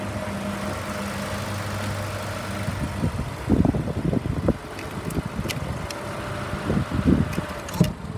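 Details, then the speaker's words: 2007 Ford Escape, about 50,000 miles, idling on a jump box: even low idle hum, then handling clunks nearby. The motor sounds good; it shuts off when the jump box is disconnected, suggesting a bad alternator and a dead battery. "it's gonna need a battery and an alternator as far as i can tell the motor sounds good"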